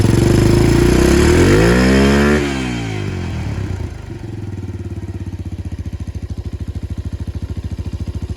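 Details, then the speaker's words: Yamaha 225DX Tri-Moto three-wheeler under restoration: revs then drops to a slow, even single-cylinder thump with strong regular pulses. Slight minimal smoke, doesn't smell too rich, pretty good compression. Normal running. "Smoking a little bit now, but Yeah, but that's minimal. it's to be expected. doesn't smell bad at all, dude. It doesn't seem to be too rich. It has pretty good compression."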